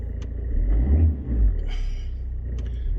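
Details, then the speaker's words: Alfa Romeo GT diesel, 97,000 miles, after starting and no smoke: steady low diesel rumble with an even beat and a slight rise in revs, no knocks or rattles. Normal diesel idle. "let's start it up and see how it starts it is the diesel one"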